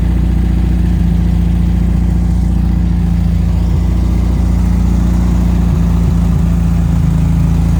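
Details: 1974 VW Thing with scat exhaust, on a stand after freeing a throttle stuck wide open, float bowl filled with regular fuel: steady, even low burble at idle with no misses, knocks or hunting. Runs smoothly on its own; normal idle.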